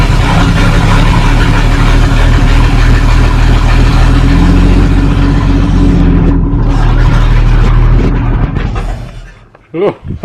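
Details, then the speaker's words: 1937 Talbot saloon with a 3.2-litre six-cylinder engine, laid up since the mid-1970s, with its fuel system bypassed after its carburettor was cleaned. It runs rough and shaking at a low, steady beat for several seconds, then dies. Oil pressure read about 50. "wow hey everything was shaking in here so much did they have oil pressure"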